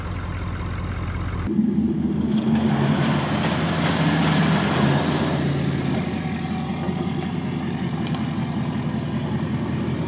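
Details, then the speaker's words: Ford F350 diesel after tightening loose injector rail feed line that was losing fuel prime and causing no-start: silent, then diesel catches and settles into even steady idle, no misses or knocks; running properly. "But tore it all back apart just so we could do this. Yes! Success! She's alive!"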